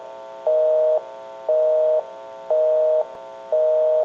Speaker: We can call one other number. We'll call my number and it'll be busy.